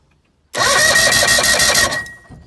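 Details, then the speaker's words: Bass boat outboard during a compression test, after cleaning the carburetors: a short burst of quick, even cranking with a thin whine that stops without catching; it seems closer to starting, with compression rising to about 160. "just me or does it sound like it wants to start more than it did earlier"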